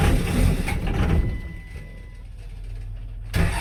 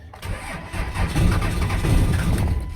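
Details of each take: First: 5.9L 24-valve Cummins diesel, crank sensor ground wire fixed: heavy low chugging rises and falls in surges as the cold engine fires and clears, rolling coal, rough but running. Cold diesel start. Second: 5.9L 24-valve Cummins diesel, fuel contaminated with water, rotted ground wire found and replaced: steady starter cranking with an even low chug, never firing, on one old battery until power ran out. Cranks but no start.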